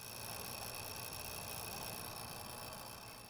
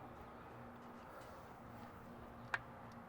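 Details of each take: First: Outdoor light fixture with LED bulb via adapter: steady loud electrical buzz with thin high whining tones, microphone next to fixture, quieter in daytime but constant; cause was a failing dawn-to-dusk photocell, fixed by replacing it. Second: Exterior light fixture after replacing the faulty dawn-to-dusk photocell sensor that caused the buzzing, with an LED bulb fitted: quiet, one soft click, no buzz or hum, working normally.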